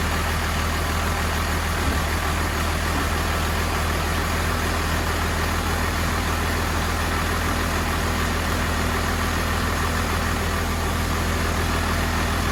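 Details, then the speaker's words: 1993 Cummins D350 chassis with 12-valve diesel and automatic, 1940 Chevy truck body, just fired up: steady even diesel clatter, no sag or hunting, held well above normal idle; fixed by backing off the idle screw and adjusting the rod. "see if I can adjust the idle screw on that's pretty high you know all right we're going to try to adjust the idle on it"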